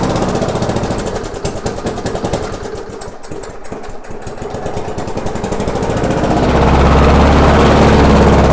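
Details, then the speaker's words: Abandoned MTD/Yard Machines non-self-propelled walk-behind mower, after screw adjustment and air cleaner refitted: rough, regular popping beat near 220 a minute, then surges higher; engine judged good, governor arm blamed for the run issues. "Okay, so what we know at this point, it is a good engine. There's this governor arm right here is obviously has to do with the run issues."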